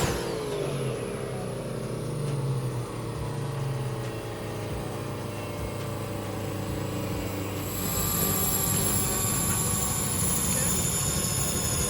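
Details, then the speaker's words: Street car doing a chassis dyno pull: engine pulls hard through a long rising sweep with a thin whine climbing alongside; a pop near the rev limiter, suspected transmission noise and a fluid drip found afterwards. "all right guys well we made some good power but we had a little pop i think we hit the rev limiter there at the end and it sounds like transmission might be making a little bit of noise"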